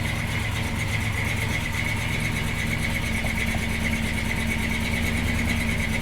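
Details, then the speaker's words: 1976 C30 dually 454 with newly installed Holley Sniper EFI, apparently not yet in learn mode, target AFR 11.5. It runs unevenly with a hunting beat and thin hiss, reading very lean, then shuts itself off: lean running. "it's very lean right now so it's gonna rich enough"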